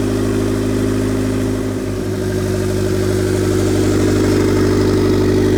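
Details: 2000 Honda Civic EX coupe, D16Y8 VTEC 5-speed, first start with oil after fitting a turbo, manifold, wastegate and oil lines: steady, even idle with a deep low rumble and a slight rev lift around two seconds; running smoothly.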